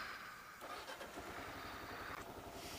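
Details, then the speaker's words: Kawasaki KLR single that once stalled in a turn lane and wouldn't restart until in true neutral, start-interlock test: in gear with the clutch pulled, the starter whirs briefly and it catches into a quick, even thumping idle. Normal start. "not on clutch King here on the clutch so on a clutch shouldn't start nothing on the clutch starts now"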